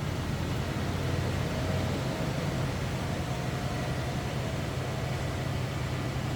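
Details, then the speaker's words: 1978 Pontiac Bonneville with a 350 Pontiac V8, heard from the rear just after a cold start at a raised idle that will come down: steady, even rumble with no knocks or misses, a normal cold fast idle. "I'm going to slip to the back here so you hear this run it sounds as you'd expect again that was a cold start so we're up on a little higher idle but that's going to come down"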